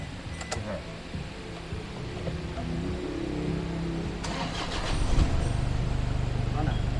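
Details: Toyota Hiace van engine starts and settles to a steady, even low hum with no clunk or rattle, after replacing the very soft engine support that caused vibration on start.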